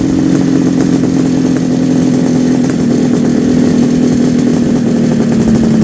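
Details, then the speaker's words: 1974 Kawasaki H2 750 two-stroke triple just restarted after 34 years, smoking from oil put in the chambers: crisp even buzz at steady fast idle with no misses or rattles, all three cylinders firing cleanly; normal two-stroke running. "Now, all this smoke is because it's a two-stroke, Yeah. plus you put oil down in the chamber. Yeah. That's going to already start improving. That sounds so good."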